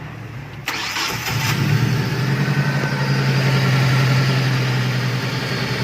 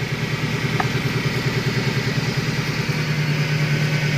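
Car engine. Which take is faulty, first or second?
second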